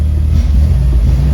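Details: Toyota Celica running with the mass airflow sensor unplugged gives a loud, steady low rumble with a slight rise and fall, the idle hanging high; idle surge, owner suspects a mass airflow problem.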